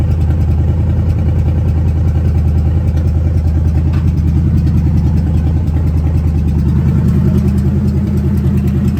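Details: 1970 Ford Falcon with a budget-rebuilt 5.0 and AOD, just after its first start: a deep, steady rumble with an even lope at idle through open shorty headers. Cold oil pressure is about 70–80. There is no ticking or knocking on top and no weird noises; the engine sounds healthy.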